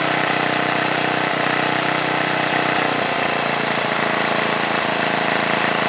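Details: 1978 John Deere Tecumseh HM80 8 hp 318cc single-cylinder snowblower engine, restarted: steady, even beat holding one speed without misses or surges. Normal running.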